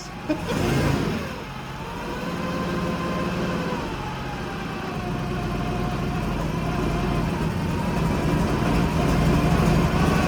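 Engine settles then revs up smoothly under a steady even note, no ticking, puffing or stumble, so it sounds healthy.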